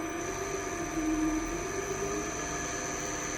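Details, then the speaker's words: Restored Cadet three-phase grinder, 208 V motor run off 240 V supply, at about 20-something hertz on minimum with load on: even, steady motor hum with faint high whine, no wobble, rubbing or rattle; runs smooth. "Nice and smooth. There's 20 something hertz."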